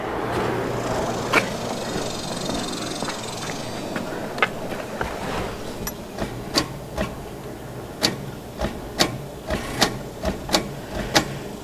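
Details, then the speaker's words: 1979 GMC Heavy-Half with salvaged 350 engine, starter just reinstalled: sharp single clicks about twice a second with no cranking; power reaches the starter, owner suspects a bad starter or wiring, unconfirmed. "We're getting power to the starter cuz I can hear it clicking."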